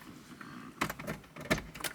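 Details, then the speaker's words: Porsche 928 door, power window motor running the glass up and down after a door rebuild; faint motor hum under loud clacks and knocks, fairly noisy, and the owner plans to fit a new motor later. "right so I'm relatively happy with it's noisy fairly noisy that just needs a new motor at some point"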